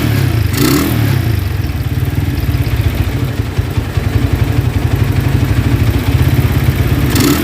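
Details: Honda Tiger single-cylinder motorcycle that smokes when cold and has lost power, started after a wash, idling: fast, rough metallic clatter from the cylinder head on each firing pulse; cause found to be loose rocker arms.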